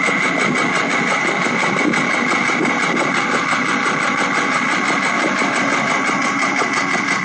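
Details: Porsche 996 late-model 911 Carrera 4, warm engine at idle, 68,000 on the odometer: busy metallic clatter with a steady high tone. Noise present about 2 months and 2,000 km, fading off throttle; owner suspected fuel pump, but the engine needed replacing.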